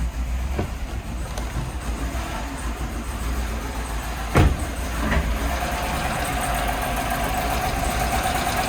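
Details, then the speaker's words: 2015 GMC Sierra 6.2 V8 at idle: rough and uneven, popping and moaning, without the clacking or tapping of lifter failure. The cause was found to be a misfire from a broken valve spring. "don't want to run very long because you can hear her popping and pissing and moaning what we didn't hear is a a lot of clacking and tapping doesn't sound like lifter failure"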